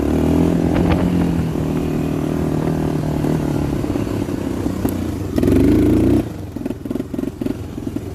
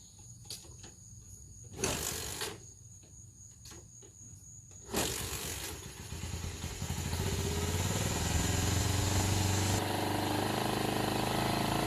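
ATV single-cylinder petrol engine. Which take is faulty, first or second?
second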